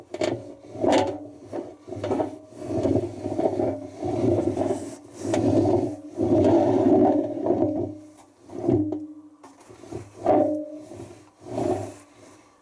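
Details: Hoover Nextra HNL6166 6 kg 1600-spin washing machine, on spin: loud rolling rumble with harsh scraping surging and fading as the drum turns; very broken drum bearings, machine scrapped.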